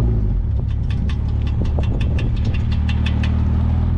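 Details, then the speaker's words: Porsche 996 911 Turbo, 151,000 miles: under low road rumble, uneven scuffing rasps about three a second at steering lock; the tires rub the fender liners on both sides, and the caster needs correcting. "yeah it's rubbing both sides just like I was before so I got to do something else about the Caster on this thing"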